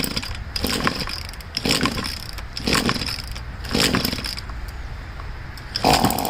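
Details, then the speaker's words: Poulan two-stroke leaf blower being winterized, tank drained, run on choke switched on and off: small engine coughs and sputters in uneven bursts about every second as carburetor and fuel lines run dry of gas before storage. "I'm just going on and off with the choke. That should be good enough. All the gas is out of the carburetor and the fuel lines, so that's ready to put away."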